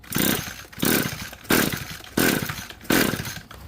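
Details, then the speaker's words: Curb-found Echo SRM-2320T trimmer, second compression test. Five quick recoil pulls about 0.7 s apart with firm, even strokes, reading a little over 130 and holding steady. Good compression on cranking. "5 pulls, even better this time, a little over 130. So it is holding steady at about 130."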